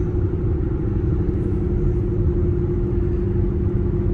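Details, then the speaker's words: Cooper Endurance Plus tires, rotated late, rear pair worn almost to wear bars; steady low droning roar with constant hum at highway speed, loud since minimal alignment. Tire roar from worn tires. "and it's partially my fault. I didn't rotate the tires that's on here quick enough, and the backs, the ones that are on the back now, are really worn down almost to the wear bar,"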